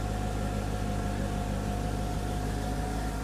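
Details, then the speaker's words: 2005 Mercedes-Benz C55 AMG M113 V8, 142,000 miles, after valve stem seal replacement for smoking exhaust, heard at tailpipe: steady, smooth idle with even low burble, no misses or ticking, running a lot cleaner; normal idle. "sounds nice and smooth no noises just going to let it run for a few minutes and burn off all the oil around it"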